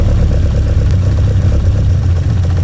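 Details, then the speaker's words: 1966 Lotus Elan at idle after balancing the carburettor airflow, while the mixtures are set by ear: a deep, slightly lumpy idle with a soft, uneven beat. One carburettor runs rich and is leaned to run better. "That was rich. I'm tuning that in to weaken it, and the engine's running better. That tells me that was rich."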